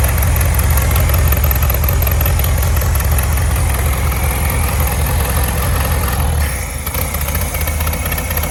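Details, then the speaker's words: 1967 VW Beetle air-cooled flat-four that had a varnish-filled carburetor, running on its own: deep, steady, even thrum with no hiss or hunting. No vacuum leaks and good power; normal idle. "we've got no vacuum leaks. So that's good. She's got good power."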